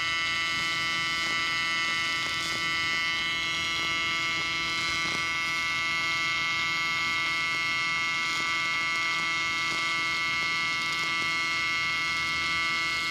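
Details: Miller Dynasty 300DX AC TIG welding aluminium during a beginner's practice session: steady, even electric buzz with a high hiss and no cracks or sputter, a normal stable AC TIG arc.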